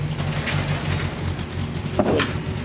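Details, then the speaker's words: 1953 Packard Cavalier after fixing a plugged fuel tank pickup, soldering the radiator, installing a rebuilt water pump and fuel pump, flushing the cooling system and rebuilding the carb: low, smooth, even idle, very quiet, no smoke, no misses or knocks. "look at that just runs like a sweetheart dude you close the door and it's like you can't even tell it's running"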